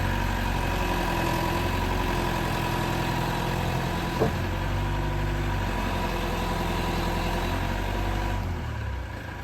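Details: Old Mercedes van with replacement used diesel engine (about 200,000 km), new clutch and front brakes, collected from workshop after engine failure on a cold November day: steady, even low diesel rumble at idle, no knocks or rattles; healthy.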